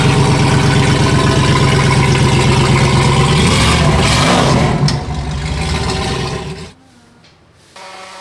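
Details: Supercharged (Whipple) 7.0L HEMI stroker V8 with new double-radiator cooling setup, fans set to switch on at 95 and 92 °C: deep lumpy idle at a steady beat near three per second, then eases off and quiets; healthy idle, no knocks.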